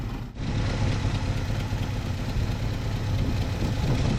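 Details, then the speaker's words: 1974 Chevy K5 Blazer V8, back running after sitting 9+ months: deep, steady, even warm idle with no misses or knocks, running great. It still needs transmission fluid and could use coolant. "Man, she's running great. Better than I deserve."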